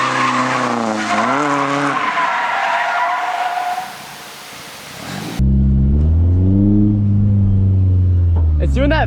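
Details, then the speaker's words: Car drifting on a half tank of fuel: engine revs through the slide with tyre squeal, then power completely cuts out mid-drift before pulling again. Cause unconfirmed; the owner wonders about low or too much fuel. "cut thing again do you hear it like completely die oh it's so annoying i just lose complete like i just completely lose power and then it comes back like halfway through my drift"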